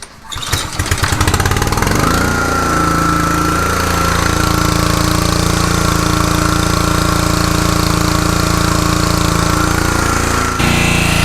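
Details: Troy-Bilt/MTD log splitter with Honda small petrol engine, after replacing the worn Lovejoy coupler spider (L090/L095) between engine and pump: starts and runs steadily at governed speed, no knocking or rattle from the pump drive.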